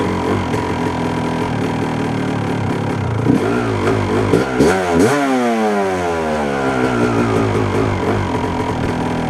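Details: 1997 Yamaha YZ250 two-stroke, warm, clutch in: idles, then stumbles and pops when opened to about eighth throttle before clearing into rising rev; sputter cause unknown, crank seal or throttle adjustment suspected.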